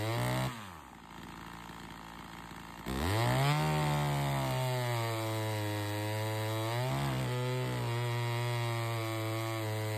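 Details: Chainsaw (113) after a carb metering lever adjustment and correcting a poorly seated air filter that let sawdust in (it had caused hard starting and lost RPM in the cut): drops to low idle, then snaps to a high, steady scream that holds revs through the cut.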